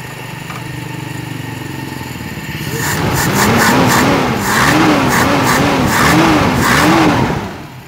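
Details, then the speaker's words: Toyota Kijang with carbureted 5K engine during tune-up and carburetor adjustment: revving up and holding a raised speed with a slight wavering pulse in the note; still running a little unevenly, cause still being sought. "nah ini Kanada masih ada goyang-goyang tuh ya kan ya guys coba Edi mesinnya Masih Ada goyang-goyang"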